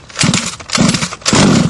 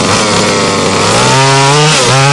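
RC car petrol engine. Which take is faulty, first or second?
second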